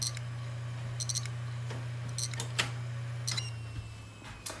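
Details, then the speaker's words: Brand-new eBay hard drive powered on: steady low spin hum with scattered sharp clicks at irregular intervals; drive clicks and is not detected, failed new disk. "c'est bizarre pour un disque dur neuf et en plus ce n'est pas détectée"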